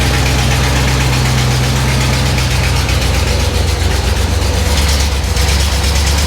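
Steady, even V8 idle with a deep, regular thrum and no knocks or miss; sounds healthy.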